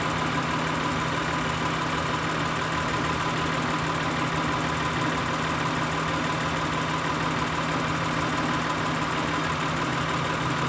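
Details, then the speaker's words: 2003 Acura TL Type S 3.2L V6 at idle with P0300, P0301, P0302, P0304 codes; during cylinder RPM drop test, unplugging cylinder 1 coil changes nothing. Steady idle with slightly uneven loping beat; cylinder 1 dead. "so it seems that number one is the one that's actually being affected by either a four fact that's fa"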